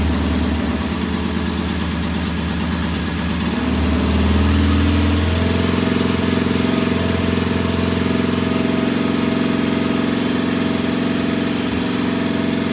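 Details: Norton P11 vintage British twin, first kick-start after carburettor disassembly and replacing dead gasoline with fresh: uneven, lumpy idle with a slight stumble while settling; one pilot jet doesn't follow adjustment like the other side's and will be cleaned again.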